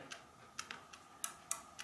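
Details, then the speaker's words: Hermle weight-driven grandfather clock movement on a test stand, out of its case, chains had come off: chain wheel turned while rethreading chain gives sharp, light, irregular clicks about three to four per second; normal one-way ratchet pawl clicking. "these are ratcheting uh devices they they will rotate in one direction but not in the other"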